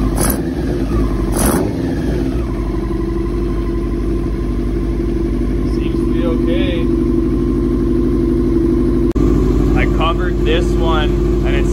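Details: 2000 Yamaha R6 inline four after diaphragm replacement and carb cleaning, which did not fix it: uneven, wandering idle with hunting revs over a steady exhaust drone; still running rough, carburetion suspected.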